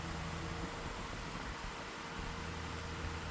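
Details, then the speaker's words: 1999 Lasko model 2000 12-inch oscillating desk fan, severely sun-damaged curb find with an overpowered Panasonic motor seemingly meant for a 16-inch fan: steady airy whir with low motor hum, oscillating and spinning incredibly fast. "But yeah, you could just by how fast this thing is oscillating, that's how fast this fan is running. It's incredibly fast."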